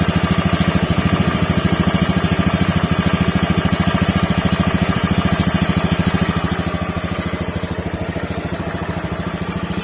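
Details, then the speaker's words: Honda Beat FI scooter after repair of rough helicopter-like noise: steady, even single-cylinder putter about two to three beats a second, no rough flutter or knock; noise gone, normal idle. "Oke betul suaranya akhirnya hilang percaya kalau kemarin suara kasarnya itu akhir-akhir kaya gitu-gitu ya kata pemiliknya seperti suara helikopter waktu ya"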